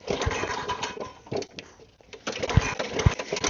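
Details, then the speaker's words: Lawn mower reported to leak fuel, found with no fuel and no air filter, primed with the bulb. Repeated pull-start cranking gives a few uneven chuffs with no catch, and the filthy carburetor is suspected. "Well, it's not starting. I'll take the cover off, put some carb cleaner in there, and see if it starts off of that, and go from there."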